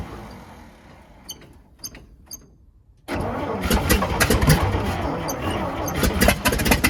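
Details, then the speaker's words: Old International winch truck that sat in the woods, run on fresh gas from a rigged can through the mechanical fuel pump: fires and runs unevenly with sharp raspy puffs over idle. Owner suspects a bad exhaust leak. Loud exhaust puffing. "but it also sounds like it's got an exhaust leak pretty bad, so I have to look into that."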